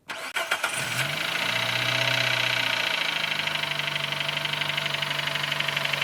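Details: Nissan Note HR15DE: cranks, catches, then idles with a fast, ringing metallic tick. It began after cleaning the injectors and intake with carb cleaner, rings louder cold and softens when warm, and the swirl flap is not rattling. Cause unknown.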